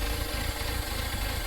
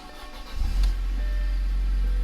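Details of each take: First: Audi at idle, no check engine light, drives fine in gear: low, uneven lumpy rumble instead of smooth hum; misfire from worn spark plugs. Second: Audi after intake and diverter valve install, with a temporary hardware-store cap fitted: engine starts easily and settles into a deep, smooth, even idle with no stumble or hiss; runs normally.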